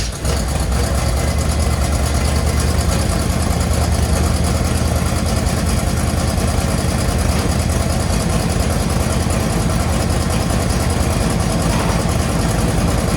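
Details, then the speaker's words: 1963 Chevy Impala V8 idling after carb gasket and fuel work, with idle turned up: steady, even low rumble without stumbles or knocks, running much better than before; normal smooth idle. "so so i think right about four it does pretty well um it sounds pretty good"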